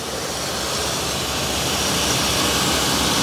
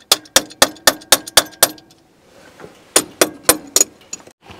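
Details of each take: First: 1980 Dodge W200 pickup, 318 V8, abandoned 22 years, warming up with thermostat not yet open: steady even idle with smooth exhaust, firing on all eight after cleaning the plugs and sanding the dirty rotor. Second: 1980 Dodge W200 pickup, 318 V8, abandoned 22 years, now fed by mechanical fuel pump through a rubber hose: short cranking bursts about four per second, never firing; the carburetor floods gas out the top and the battery is nearly dead.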